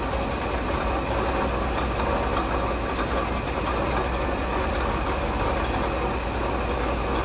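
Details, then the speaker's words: 1958 Edsel Citation V8 first run after 20+ years parked, fed from a jerry can: rough, gravelly churning under the idle from a water pump with worn-out bearings; exhaust smoking as it burns off oil. "the water pump sounds awful the bearings are shot in it"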